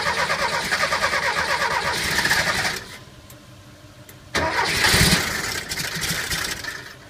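Starter churning at an even beat for a few seconds, a pause, then cranking again, and the engine never catches; cranks but won't start. Cause suspected, not confirmed.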